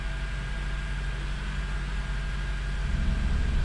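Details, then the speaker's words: 2005 Honda CR-V just after upstream oxygen sensor replacement for P1157 and code clear: steady, even low rumble with no knocks, misses or hunting, idling down smoothly while it learns the new sensor. "It'll take the car a minute to learn the new oxygen sensor. So I just let it idle for a second until it kind of idles down."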